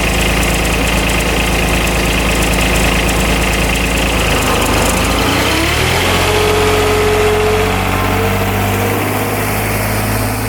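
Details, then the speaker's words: 2007 Kubota RTV900 diesel UTV bought at auction, on test drive: small diesel chugs with a thin squeak above it; owner suspects the drive belt squeaking. "Yeah, that belt is squeaking. All right, first thing we're going to do is try to fix that squeaky belt."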